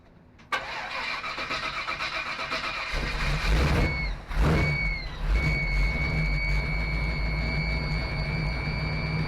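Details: 1955 Willys wagon after carburetor work, starting to move under its own power: cranks, catches and settles into an uneven idle with a steady high whistle; running better but noise unidentified, owner suspects a vacuum leak.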